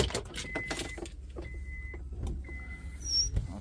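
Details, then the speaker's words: 2002 Acura RL windshield washer pump, newly replaced and tested on 12 V before final install to check its wiring direction. Three short bursts of a thin, steady high hum with quiet gaps between; the pump runs normally. "I don't know if you can hear it, but I can hear it pumping."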